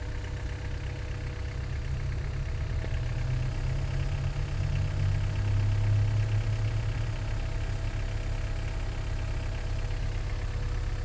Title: H22a7 strange noise coming from the engine